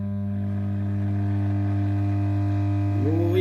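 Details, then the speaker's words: Vintage Pilot radio being powered up slowly on a variac, HT brought up toward 200 V: loud, steady low hum with a buzzy edge. Strong mains hum, and the reservoir capacitor is suspected open circuit, not yet confirmed. "baby now it sounds like the reservoir cap is open circuit"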